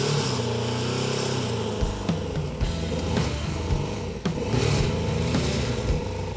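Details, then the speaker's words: 1984 Kawasaki police motorcycle starts almost right up and runs, blipping up and down cleanly with no knocks or misses; it sounds healthy. "It runs, though? Yeah. Start her up. Starts right up."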